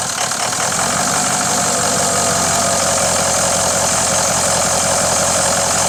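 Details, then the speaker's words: Ford 6.0 diesel, just after turbo cleaning and reassembly: quick start settling into an even diesel clatter at a steady idle with no misses or surging; serpentine belt is a little noisy, otherwise sounds good. "oh all right other than a uh say the serpentine belt's a little noisy but other than that sounds good"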